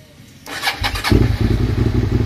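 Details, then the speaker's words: Motorcycle after ignition switch and starter relay replacement: short crank, catches at once into steady, even idle; no-start traced to faulty clutch-lever kill switch, bridged with wire. "it's a kill switch problem man does that sound good yeah buddy oh I'm so happy about that"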